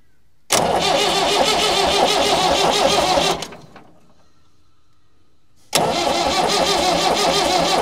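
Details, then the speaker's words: Massey Ferguson 178 diesel in 50-year-old cane haul-out tractor, sat for years, Lucas starter: starter churns steadily about three seconds, pauses, cranks again, never fires; cranking seems slow; cranks but will not start. "it doesn't seem to be doing a real lot I thought it would have been doing better than that I don't know why that is I thought it could be turning over a bit quicker than what it is"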